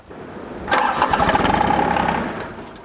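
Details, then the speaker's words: John Deere 755 compact tractor in cold weather: engine catches and rumbles for about a second, then winds down and dies because the fuel shutoff solenoid connector has a broken retaining ear and won't stay in. "oh it dies right away yeah i won't hold it in so here we go"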